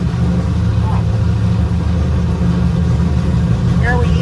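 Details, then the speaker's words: LS-swapped Nissan 350Z during fuel-map tuning, still lean, with the idle screw all the way off. Steady V8 idle that holds its speed and never sags. High idle; a vacuum leak is suspected. "And we definitely are going to want to adjust the idle screw down a little bit. It's all the way off."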